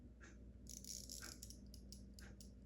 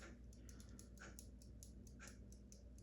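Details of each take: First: In-wall spring-wound mechanical ventilation fan timer, repaired after sticking on: soft steady clicky ticking over a faint rattle, the normal operating sound. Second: In-wall spring-wound mechanical ventilation fan timer that sticks on: light, dry, slightly uneven ticks a few times a second over room hum; the timer keeps clicking after being returned to the off position.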